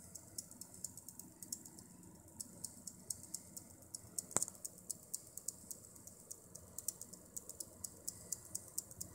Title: Problema ticchettio ronzio alimentatore XFX Proseries 550W Core edition -XFX PSU ticking sound